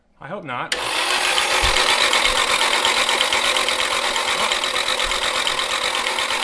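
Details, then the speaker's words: Nissan 240SX S13 with SR20DET, long abandoned, cranked on the starter alone with the fuel pump disconnected: a steady whir with a dry, hissy clatter that sounds unlubricated. Unusual mechanical noise while cranking, cause not yet clear. "a little different mechanical noise"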